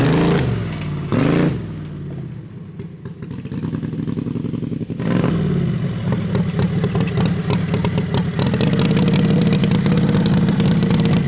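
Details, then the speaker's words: Harbor Freight 670cc V-twin modified to about 55 hp on drag rail kart, revived with new coil and widened plug gaps: fires, blips a couple of times, then strong, even run holding steady under throttle; healthy. "it fires right up so we're going to do some pulls of the driveway while it's running this thing sounds good"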